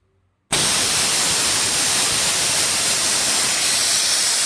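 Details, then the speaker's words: D KIEI 50-litre "silent" air compressor: silence, then an abrupt loud steady rushing hiss as tank air dumps through the pulled blow-off valve needle; pressure held at 8 bar. Air dumping through blow-off valve. "See that blow-off valve kicks in and blows it off. I'll hold the pressure at 8 bar."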